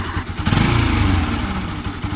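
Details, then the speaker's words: Bajaj Pulsar/Rouser NS 200 motorcycle revving, with a rough, uneven mechanical noise riding on the exhaust. "está haciendo ruido el motor de mi ms 200"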